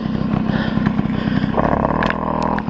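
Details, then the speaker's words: Tomos 50 two-stroke moped with new clutches and an aftermarket turbo exhaust: buzzy, uneven revving that wanders and stumbles between throttle changes; runs poorly, owner suspects carburetor tuning needs redoing after the exhaust change. "et maintenant voilà il a un petit souci alors moi je pense très certainement que c'est un réglage carbu voilà parce que comme vous l'avez vu il a monté un pot turbo dessus"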